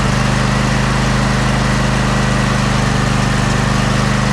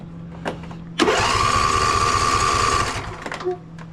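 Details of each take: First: Husqvarna YTA24V48 tractor, 24 HP Briggs and Stratton V-twin, sat all winter and wouldn't start; it runs with a steady, even drone and no stumbles or knocks while warming up to circulate old gas out. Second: Husqvarna YTA24V48 tractor, 24 HP Briggs & Stratton V-twin, that sat all winter: the starter whirs the engine over for about two seconds but it never fires. It cranks but won't start, later traced to a fuel problem.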